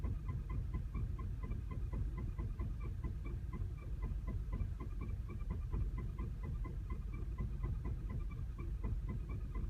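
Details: 2010 VW CC, 29k miles, clutch recently replaced: low, uneven idle throb that stumbles and shakes with a flashing check engine light, a misfire; calms at higher RPMs with steady light.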